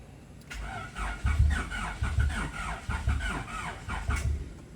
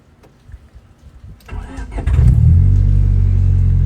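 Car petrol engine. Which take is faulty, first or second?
first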